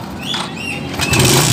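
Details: Long-unused Shogun R small single after carburetor cleaning (pilot and main jets cleared of dirt, crust and jelly): short crank catches into rough buzzy run, starts and keeps running.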